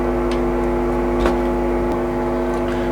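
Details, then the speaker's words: Original Electro-Harmonix Big Muff fuzz pedal (four transistors) on the repair bench, switched on and giving a horrendous steady hiss and hum drone; its jacks are very loose and the fault is still undiagnosed. "is let's probably just pick up from the lights the hiss though it's horrendous so ignore the hum"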